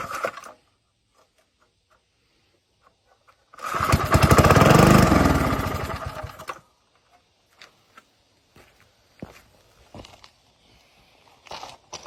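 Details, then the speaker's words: Older Briggs & Stratton 3 hp engine with gear reduction, found in scrap, run on starting spray with the carb likely gummed: it catches and runs about three seconds with an even, knock-free beat, then shuts down cleanly; no knocking. "Otherwise, I think it's going to be a good running little engine. It didn't hear any knocking, didn't hear any bad stuff."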